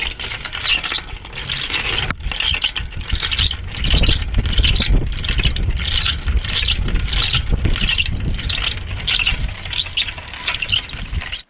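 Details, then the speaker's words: Bicycle front wheel hub, spun after a 43.7 km ride: a sharp rhythmic squeak of about 1.5 chirps a second. The owner suspects grease washed out by heavy rain and worn balls, and plans to replace the ball retainer. "No tak jak było słychać hałas niemiłosierny Moim zdaniem po pierwsze teatr nie ma smaru możliwe że po prostu smar sie vitari wypłukał bo ostatnio mnie taka mocna ulewa spotkała i możliwe że tutaj się dostała woda wypływała resztki tego smaru najprawdopodobniej kulki też już są zużyte"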